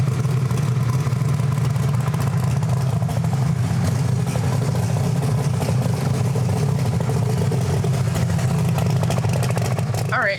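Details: Camaro engine, warmed up, on the two-step during a low-power dyno pass: deep, flat drone held at one low speed that never climbs, then cuts off; bogging because dyno load is too high.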